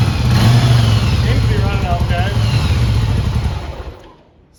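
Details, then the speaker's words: Vintage motorcycle twin, carburetors cleaned and rebuilt, fresh gas and new fuel filter, first start: low fairly even beat with faint irregular popping; running lean, carbs likely need syncing. "it is lean, I can tell. It's lean popping a little bit."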